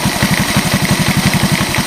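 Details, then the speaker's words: 1986 Honda TRX125 single-cylinder from a scrap yard, hotwired and run on a jump pack, fitted with a replacement carburetor. Steady, even idle thumping about eight times a second with no bottom-end noise; engine purrs and sounds healthy. "s good I don't hear any bottom end noise matter of fact she sounds real nice right she just purs"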